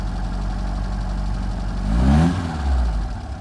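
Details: 1978 FIAT 124 Spider: lumpy, uneven low idle, then a quick blip of revs that rises and falls before settling back; rough idle, cause not yet found.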